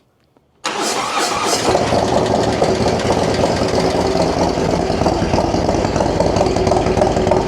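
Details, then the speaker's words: 2024 Harley-Davidson Road Glide Milwaukee-Eight, first cold start after Stage 2 with Cyclorama 484 cam and Fuelmoto Jackpot XXX Extreme exhaust, air cleaner still off: quick crank, catches immediately, loud lumpy but even idle; healthy. "And then we're going to do a first time startup cold. And you're going to hear what the bike sounds like."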